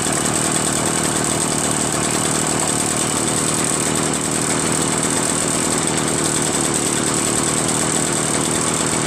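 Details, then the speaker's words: Echo PB-403T two-stroke backpack leaf blower, reassembled after carburetor cleaning and magneto reinstall: steady even high-pitched buzz, no misses, surges or dropouts; normal running. "How about that, huh? This thing works great now. I'm going to put the stuff back. So I put everything back together again. Honestly, it runs pretty well."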